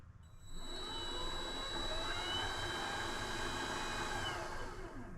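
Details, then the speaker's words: Vevor MX400 (WM210V) benchtop mini lathe motor after three years of use, running in reverse with pulley still on: thin steady high-pitched whine over the motor hum; owner suspects the motor is starting to fail. "I think it's the motor going in reverse. It has this kind of a whining noise."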